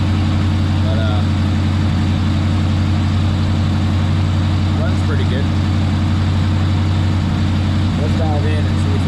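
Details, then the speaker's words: Steady, even warm V8 idle with no stumble or miss, held too high at about 1,300 RPM on a Monte Carlo (suspected LS with SS conversion parts); high idle needs addressing. "that's one thing we got to address I think idle at like 1,300 RPM"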